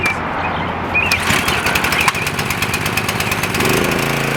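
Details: Craftsman 2500 PSI pressure washer with Briggs & Stratton 6.75 engine (model 168212), repaired after a no-start with the air filter refitted and the spark plug regapped, on choke: catches after a brief crank and settles into a steady, even run with no misfiring or hunting.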